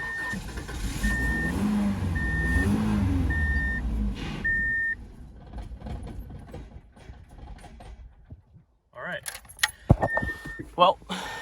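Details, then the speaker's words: 1997 Subaru Outback, 230k on the clock, died after the oil light came on; ether sprayed into the intake: starter churns steadily about four seconds under a chiming warning tone but never catches. Crank, no start; not fueling, cause not yet known. "we know we're not fueling for whatever reason so let's do some digging"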